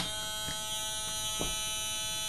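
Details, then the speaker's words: LM386 audio amplifier, power applied with no input signal: steady, harsh high-pitched buzz rich in overtones on the output; oscillation from missing supply decoupling, cured by an electrolytic capacitor from VCC to ground. "there's no signal and there's this really annoying frequency being generated and and the solution I found for that is just by placing electrolytic capacitor from BCC to ground"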